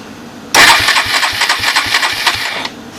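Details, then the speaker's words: Suzuki DR200ES with Honda clone carb and no air filter, restart after a stall, owner suspects flooding: few spaced thumps while cranking, catches and idles roughly a couple of seconds; hard restart. "oops shouldn't have done that"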